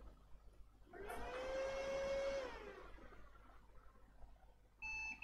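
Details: Lenovo ThinkCentre M72e after a no-display repair (missing VCore/VCCSA, replaced NCP102 MOSFET driver IC): fan whirs up and fades over about two seconds to quiet steady tones, normal power-on with display restored.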